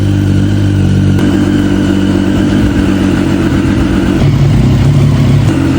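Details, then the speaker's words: Triumph Street Triple motorcycle, first start after sitting abandoned, fresh fluids and new oil filter; had suspected only two cylinders firing, injectors cleaned with throttle body cleaner: strong steady engine note, smooth revs, no misfire, runs healthy. "Injector clean ചെയ്യാണ് ത്രൂട്ടൽ body cleaner use ചെയ്തിട്ട് വണ്ടി finally start ആയിട്ടുണ്ട്."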